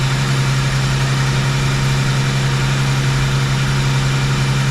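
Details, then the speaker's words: Rochester 2G carburetor after rebuild, idle mixture screws being adjusted. A steady low idle hum sags in pitch as a screw is turned in, from too lean a mixture; the screw is then backed out about half a turn. "you hear the pitch change so now once you hear it drop down a little bit I turn it out like a half a turn"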